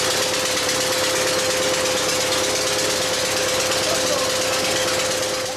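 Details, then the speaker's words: Bobcat 632 engine after blow-by repair with new piston and rings, first runs: rapid ticking puff about three per second over a steady tone, a weird noise; exhaust manifold/muffler leak suspected after rechecking valve lash. "it just seemed to be making a weird noise right or not sounding right"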